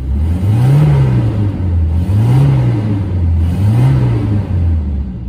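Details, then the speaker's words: 240 after fixing no-start via a hidden fuse, car had been sitting: three clean throttle blips returning smoothly to steady idle with no stumble; revs normally, though earlier missed slightly. "running great that's awesome"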